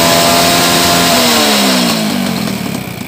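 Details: Old Honda Supra X 100cc with new, apparently non-original (KW) cylinder block, smoking when throttle is opened: engine revved then easing off, very harsh and noisy with a loose metallic rattle about three times a second; likely worn cam chain.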